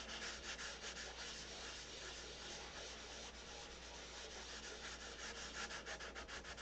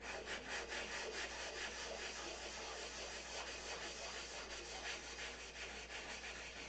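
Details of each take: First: Wet sanding a Big Tucker control-line model airplane finish with 600 paper after 320: soft, even rubbing strokes about three a second, grinding noise subsided, no harsh scratch; surface is smooth. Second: Wet sanding the open bays of a Big Tucker 600 control-line model by hand: steady gritty grinding strokes, about two per second, showing the surface is still rough. Sanding continues until the noise fades to nothing, meaning smooth.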